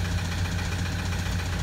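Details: 2007 Toyota Land Cruiser Prado 120 diesel, 230k, cold start: heavy rough low beat with hard knocking under the clatter, bottom-end knock from suspected oil starvation; injectors one and two reading far off, slight oil smoke.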